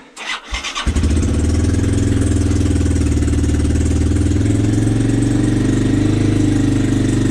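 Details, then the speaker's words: 1986 Yamaha Moto4 YFM200DX ATV, cold start at 10°F after a few cranks. Lumpy idle that wavers and sags, stumbling and barely holding. Owner suspects bad gas, to be drained. "yeah that's stumbling going on really think that's bad gas"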